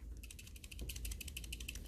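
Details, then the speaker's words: Cooler Master MM710 mouse shaken after click post-travel fix: fast light plastic ticking from the two zip-tie heads added inside the front rattling loose; gluing them down would stop it. "is rattle and those are from the to zip-tie heads that we put in the front you can get rid of that rattle by just gluing down the zip tie heads"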